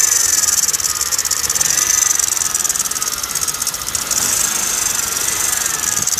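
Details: 2009 Kia Cerato: quick, light metallic ticking over a hissy idle at steady speed; engine knock, source not pinned down.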